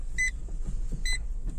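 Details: Renault Megane 2 while driving after anti-squeak work: two short, sharp chirps about a second apart over low road rumble; a remaining cricket squeak suspected under the rear seat.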